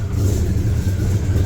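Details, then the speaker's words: Cold, not warmed-up V8 truck motor with mild cam and 850 CFM carburetor, not yet tuned, alternator audible: deep, lumpy, uneven idle; rough cold running from bad carb tune, better when up to temperature. "Not the coldest start and it's not warmed up. You can kind of hear that it's not tuned right."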